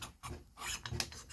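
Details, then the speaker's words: Ported Stihl MS 290/390 chainsaw engine pulled over by hand. A slow, uneven rasping scrape as the piston scuffs on flaking cylinder chrome plating near the intake port; a quick hone might fix it. "I'd say if I done a quick hone, it'd probably fix it, but that's not good. You hear it scratching."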